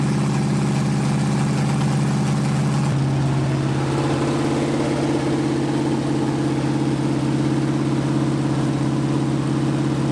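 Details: 1980 Dodge short-bed truck big-block V8, first run in 14 years, during cam break-in after converting from points back to factory electronic ignition; even steady idle, smooth low drone, speed shifts slightly partway, no knocks or misses, normal running.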